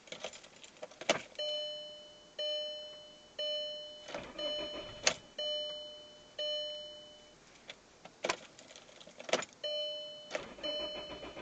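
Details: 2003 VW Jetta 1.8T no start: chime-like ticking repeats about once a second during short cranking bursts, but the engine never catches or runs.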